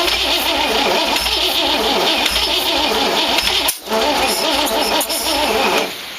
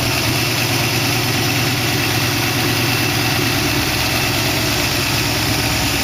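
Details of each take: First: 1914 Dodge Brothers rat rod with a 1962 Oldsmobile 392 V8 and Hydro. The starter turns it over steadily for several seconds but it never catches; firing order wired clockwise though the distributor turns counterclockwise. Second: 1914 Dodge Brothers rat rod roadster with 1962 Oldsmobile 392 V8 and Hydro, first start with no coolant in it: smooth, even V8 idle, steady low rumble; lifters ticked at first start but calmed, no ticking or misses now, healthy.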